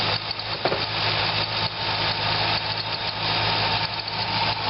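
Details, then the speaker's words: Corvette engine idling with a thin, hissy chirping squeak from the serpentine belt; water spray on the harmonic balancer pulley silences it and tensioner pressure changes nothing; belt only half worn but judged glazed or low quality. "I am concluding it it's just a belt it's either not a quality belt even though it's only worn about halfway down it's maybe got some glazing on it"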